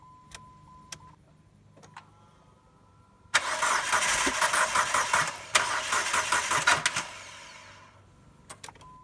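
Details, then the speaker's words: Crank no-start with the fuel pump disabled to release fuel pressure on a car without a Schrader valve: the starter churns steadily for about four seconds with even compression pulses but never catches; residual fuel pressure is gone. "okay so we saw there pretty much wouldn't start so whatever fuel was in the system as little as it may have been the pressure on this it's out"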